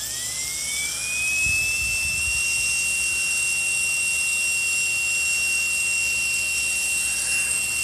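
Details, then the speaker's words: Brushless motor that overheated and ran noisy from bad bearings, after fitting new bearings; high whine climbs quickly then holds a steady even pitch with no grinding or rattle; normal running. "I put these new bearings in here and here I would let you hear it it doesn't you can that's actually pretty good now"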